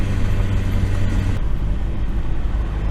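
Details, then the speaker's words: Turbocharged daily car under hard acceleration after overheating episode, wastegate flapper later found blown out the exhaust leaving no boost: loud rough raspy roar then easing; owner thought exhaust leak, abnormal noise of uncertain cause. "it's driving okay but whenever you really get on it it's making a weird noise it kind of sounds like it has an exhaust leak I'm not really certain kind of sounds like kingy"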